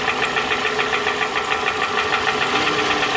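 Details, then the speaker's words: 2007 Toyota Camry with a flashing check engine light and a cylinder misfire; the swapped coil test shows no change when the bad coil is pulled, confirming the ignition coil; an uneven idle with a stumbling pulse about three times a second. "so that's a simple way to confirm that it is the ignition coil so i'm not looking at a spark plug or not looking at the control side of anything i'm not looking at a fuel injector just an ignition coil"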